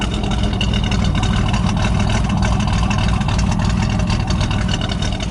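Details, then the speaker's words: Pontiac Firebird, no vacuum leaks found, owner thinks it runs slightly rich and has put Seafoam through it; a loud, lumpy idle with an uneven stumble every few beats, like a cam, a steady misfire that comes mainly after sitting, cause unconfirmed. "But yeah, there's no vacuum leaks. That's just how it idles. It sounds like it's got a cam in it or something."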